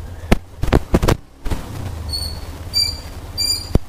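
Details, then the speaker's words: Hero Xtreme 125R motorcycle riding: short bursts of high piercing squeal from the rear drum brake on braking, louder with harder braking, occurring for a few kilometres after starting in the morning; rear drum brake squeal. "যখন সকালবেলা চালু করি তখন কিছু সময় প্রায় কয়েক kilometre পর্যন্ত চিন চিন মারাত্মক শব্দ হয়, এবং যেটা খুব ভালোভাবে ব্রেক করলে বেশি শব্দ হয়, হয়তো হালকা ব্রেক করলে হালকা শব্দ হয়, কিন্তু শব্দটা অনেকটাই বিরক্তিকর আমার।"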